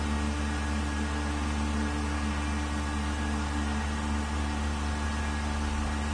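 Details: Vacuum pump on a 1600-litre mixer during a vacuum test with an empty chamber, gauge vacuum at 0.08 and rising; steady even hum and low drone with constant tones, no knocks or surging, quiet good-quality pump running normally.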